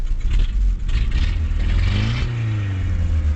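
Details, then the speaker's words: 1989 Mazda B2200 four-cylinder, 5-speed manual, smokes a lot, check engine light on, revving: revs climb and fall smoothly under loud raspy low rumble with puffing; exhaust leak through a hole. "as you can hear that whole Bobby there's a hole right there seems rev up okay but I mean"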